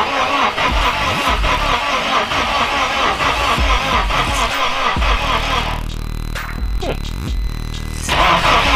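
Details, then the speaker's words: K24-swapped Mazda RX8 cranks steadily, about two beats a second, but never catches: no start because the original K-series coil packs were fried; fix was fitting LS coils with the pins swapped, after which it started. Crank sensor hooked up, cam sensors not. "so after much delay I have discovered that the original k-series coil packs somewhere uh those were fried so I threw on LS coils from my RX8 and just threw the pins in there and it starts up"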